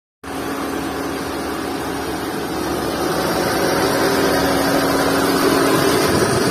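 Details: Skoda Fabia petrol engine idling: steady low whine with a faint rhythmic chirp from a worn V-belt (drive belt) and tensioner bearing.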